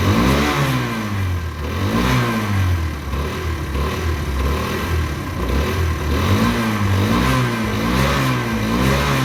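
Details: Derbi 125 single, a former non-runner, after a carb service and fuel tank clean: it starts cleanly and revs up and back down smoothly several times with steady, even firing and no misses or knocks; it runs normally.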